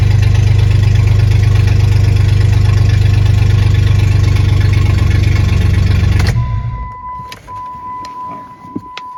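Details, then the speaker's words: 1996 Jeep Grand Cherokee ZJ inline-six still misfiring at idle after new plugs and wires, before new injectors are fitted: a deep, slightly uneven chuff before shutting off, leaving a steady chime. "That didn't fix the misfiring, so let me just show you how it's running right now because it's still misfiring, and hopefully the new injectors fix it."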